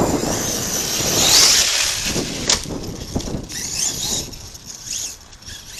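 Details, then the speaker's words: Arrma Kraton 6S RC truck after bashing at a construction site: high gritty whine with scratchy bursts as drivetrain spins up and coasts down; sand in the bearings grinding. "Hear the sand in the bearings there."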